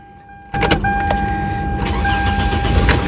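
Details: 2004 Toyota Camry XV30 with a 2.4L I4 and automatic, which previously had no crank: after a starter replacement it cranks quickly, catches at once and settles into an even idle. Normal start.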